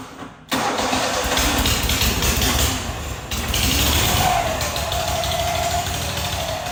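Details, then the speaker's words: Rusty auction John Deere mower: catches after a short crank and settles into a loud, raspy, blatty idle from a muffler with holes in it. Holes are to be closed with bolts and welded to quiet it. "i don't know why one would do that but it is way too loud i don't even know if this will quiet it down that much but we're gonna try"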